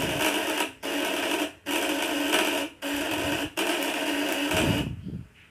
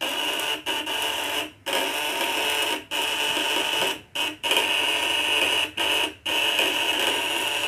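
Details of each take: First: Coil device with contact breaker (platina) set at 500: harsh raspy buzz in sub-second bursts cutting out between, rough and uneven; dirt on the points, which need routine smoothing. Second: Spool coil device (1.5 kg, 200/500/1000 W test) with points adjusted tighter, normal full-output running: harsh steady buzz with piercing high whine in short bursts, louder and higher-pitched with 500 W at maximum.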